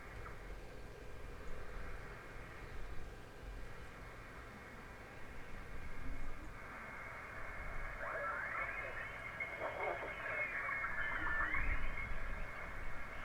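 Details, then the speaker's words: Heathkit HW-101 transceiver receiving on first power-up with the rebuilt HP-23B supply, into a 4-ohm speaker: soft band hiss, a tuning whistle sweeping through and faint voices underneath; 20 meters is receiving. "So, it sounds like 40 is working."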